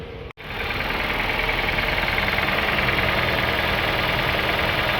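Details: Honda City petrol engine at idle: a regular tapping knock about three times a second over an even idle, from damaged connecting rod parts; replacing the engine cleared the noise.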